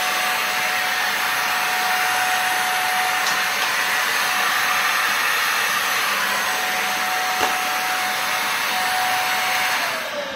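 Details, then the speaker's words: Dyson Rollerball DC50 vacuum that has lost suction, running: a steady high motor roar with a thin constant whistle; it seems to suck only through the hose and wand, not the floor head. Loss of suction at the floor head. "you see there that sound sounds funny like it's only sucking through the hose not through the actual floor part"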